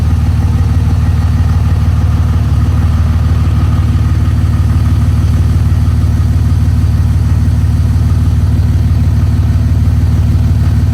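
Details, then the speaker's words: Cold start at about 25°F of a 2004.5 5.9 L Cummins turbo diesel not started for a couple of weeks: steady even low diesel clatter settling into smooth idle, no misses or knocks; normal cold start idle. "Oh folks we're here we're doing a cold start on this beauty right here this 5.9 liter two thousand four and a half turbo Cummins diesel it's about 25 degrees this morning truck hasn't been started in a couple weeks"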